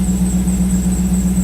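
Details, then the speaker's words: 2001 Corvette C5 V8 after oil pressure sensor replacement and intake manifold removal: steady high squeal over an even idle; belt squeal seemingly from the new alternator. "We've developed a belt squeal in the front from our, sounds like it's coming from our alternator, which is new. That's a little concerning."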